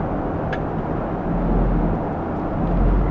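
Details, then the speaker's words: Ford F-150/Expedition with an unmaintained transmission and dark fluid, cruising before Shudder Fixx treatment: low road rumble with a slow, uneven, light torque converter shudder caught early. Not a misfire. "Hey, so this is what a torque converter shudder sounds like. I'm catching this problem early, so it's kind of a light shudder."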